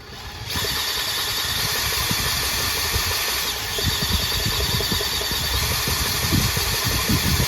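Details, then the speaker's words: Briggs & Stratton 14hp Synchro Balancer engine during rebuild, spun fast with the sump plate off: loose, irregular knocking under a high whir as the unsupported crankshaft end wobbles; metal shards had jammed the balancer links. "So when I go at high speeds, you can hear a knock, right? That knock is really uh because this sump plate is not on. So this shaft is just wobbling like that."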